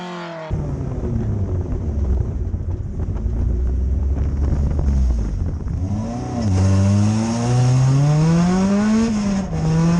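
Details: Dirt-race 2004 Acura RSX Type-S FWD, pulled out after sitting a very long time for season prep: revs climb and sag unevenly with a wavering tone under throttle. It is surging; owner suspects a screen needing cleaning and plans a new VTEC solenoid.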